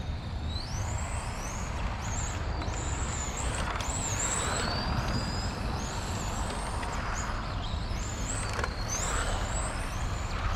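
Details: XRAY FK05 RC car with 13.5T brushless motor: high whistling whine rises and falls with each burst of throttle over steady rumble and gravel noise; unusual drivetrain whine, source undetermined.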